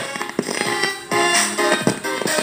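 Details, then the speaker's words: Amplifier on the bench with speaker connected: music plays raspy and crackling with sharp pops on loud parts, distorting when volume is turned up; cause not yet found. "Yan ah, yung sounds niya. Garalgal siya pagka binubulim natin."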